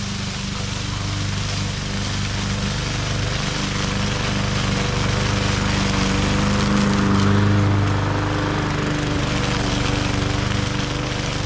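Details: MTD 20-inch mower with Briggs and Stratton engine, previously hydrolocked with oil, test run after repair: steady, even single-cylinder drone with no misses or surging; runs smooth and healthy under load.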